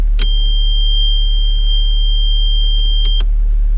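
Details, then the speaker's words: VW Passat B3 idling right after restoring the ignition switch contact group: steady, even low idle with no misses or knocks, high electronic beep on top; everything works. "Все, отпускаем ключ. И все сработало, все работает. Ну, все работает."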